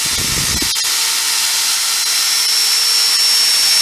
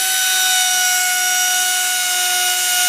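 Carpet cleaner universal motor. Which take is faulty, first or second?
second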